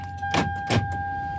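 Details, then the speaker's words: 2013 Toyota Highlander with a faulty key that won't reach the locked position: a two-tone key-reminder chime between two clunks as the remote lock is refused, the car still sensing a key inside; investigated for parasitic battery drain. "t the ignition on see see can hear the charm to remind you to remove your key but the key has not got to the locked position it's simply tell you there a key inside even when you have remove it it's still telling you that there"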